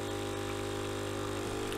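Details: Nivona coffee machine brewing after a fix for water not flowing through the brew unit: even, steady pump hum with no stutter or strain as water flows; normal pump operation.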